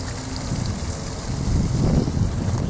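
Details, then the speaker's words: Well pump running after its pressure switch was replaced: low steady hum under rushing water, with no knocking or chatter and no leaks; normal running. "And I don't know if y'all can hear that humming away right there, but I have no leaks."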